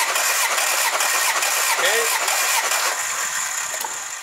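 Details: 2003 Jeep TJ, 4.0 L with M62 supercharger, plugs out, fuel pump relay pulled, cranking for a compression test reading about 162 psi; the starter turns it over with an even, regular chug, no weak cylinder, healthy compression.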